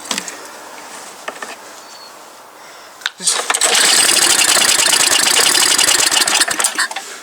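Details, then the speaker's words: MTD Yard Machine snow blower small engine, sat about a year and a half untreated, carburetor assumed gummed up: quiet cranking then a harsh rapid popping burst that dies; it fires only on starting fluid, showing compression and spark but no fuel from the carburetor. "There we go. So, it's spurled. So, that means it has compression and spark. Just has no fuel yet."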